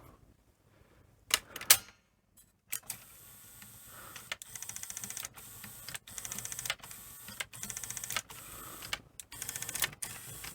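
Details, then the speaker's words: Sony SL3000 portable Betamax deck, with reels belt-driven from the head motor, unlacing tape: quick light ticks in short bursts. Owner suspects a missing washer (possibly needing an e-clip) on the spool shaft. "I do actually wonder if there should be a washer on the end of that as well, you know, cuz I can hear it sort of ticking when it un laces."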